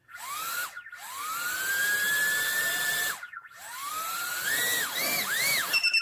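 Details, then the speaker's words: Mobula7 FlySky micro quad bound to Turnigy Evolution transmitter, armed with middle switch, one long one short beep confirmation: clean rising whine as motors spool up and down with throttle, no grit or ticking; motors healthy, normal spin-up. "one long and one short so that means that if I now apply some throttle it's doing what it's supposed to do"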